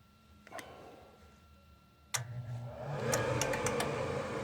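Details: York Diamond furnace after replacing the failed inducer (venter) motor, which had run very hot and humming with three-flash pressure switch code: after a couple of clicks the new inducer spins up to a smooth, steady hum, no rattle or scrape; normal running.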